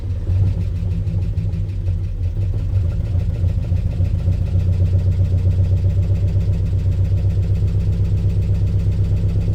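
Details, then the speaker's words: 1965 Ford Mustang 289 V8 barn find, parked 29 years, points cleaned, run on ether: even low thumping at about four pulses a second, no misses; running well enough with all cylinders seemingly firing. "Uh so we I think we can confirm that it's running well enough. All cylinders seem to be firing."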